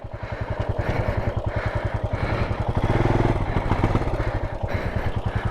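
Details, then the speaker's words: Royal Enfield Himalayan after a crash on an off-road volcano route: a steady single-cylinder thump with a rapid rhythmic slapping clatter keeping pace with the wheel. A loose strap came off and got caught in the drive chain. "looks like a strap okay so a strap in the kind of came off and got caught up in this which is not great"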